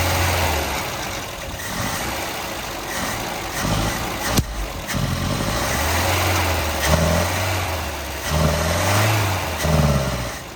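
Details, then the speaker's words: 1971 Volvo 142, B20B engine, after the carburettor mixture screw was reset from six to two turns out: an uneven, hunting idle that sags and surges with light revs. Owner suspects it is running very lean and the carb may be mis-jetted. "uh it seems like it's lean still like really lean carburetor might not be jetted right"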